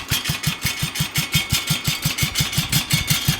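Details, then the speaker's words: 1966 Bolens 1050 tractor single-cylinder at very low idle, a slow thump about three beats a second with light ticking on each beat. This is normal valve clicking at idle. "this thing idle's really low you kind of hear the valves clicking in"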